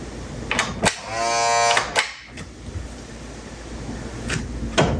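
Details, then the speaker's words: RCA SJT 400 CED player opened up, gears and fuses checked okay: short nasal buzz under a second between clicks and handling noise; loading motor straining against a bad drive belt. "something wrong here whatever is wrong in here is what's keeping me from loading"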